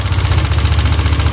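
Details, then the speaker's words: Yamaha Aerox scooter before repair, with a rough idle and harsh rapid metallic ticking each revolution. Cause possibly a rocker arm bearing or the small camshaft bearing. "Jadi kalau seumpama PPA pas nyala suaranya jadi halus itu ada kemungkinan dari bearing rocker arm bisa dari bearing noon as yang kecil juga bisa Bang"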